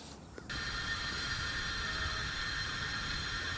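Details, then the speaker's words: Slab leak detection with a listening device on a home's water line valve: a steady hiss with a thin whistle that grows louder the longer the mic sits there. The loudness shows the leak is on this line. "Definitely getting louder. And that one is screaming. Okay. So, what that tells me is I know the leak is here."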